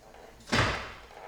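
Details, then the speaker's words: BMW E46 drift wagon, after tightening bolts, no bushing movement: a single hard clunk as the steering wheel is turned with little effort, then quiet; owner suspects the steering rack, source not confirmed. "holy [ __ ] was that the noise that was that my rack holy [ __ ] that does not sound good I'm not even pushing that hard and it just sounds like a really hard clunk what is that foreign sounds like it's just coming from my steering rack to be honest"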